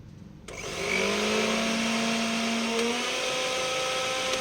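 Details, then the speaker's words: Mixer grinder motor after carbon brushes replaced and bushes oiled to reduce excess noise, switched on: steady high-pitched whir reaches speed within a second, smooth, no rattle or scraping; normal running after repair. "तो देखिए यहाँ पर हमने इसकी आवाज़ भी सुन ली है। अब ये बहुत ही अच्छी आवाज़ के साथ मोटर चलती हुई दिखाई दे रही है।"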